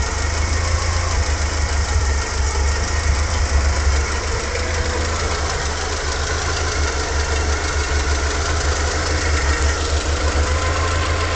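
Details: Fiat Coupe Lampredi 16v naturally aspirated engine at steady idle with a rough, clattery tick; noisy idle, owner suspects bad old oil, unconfirmed.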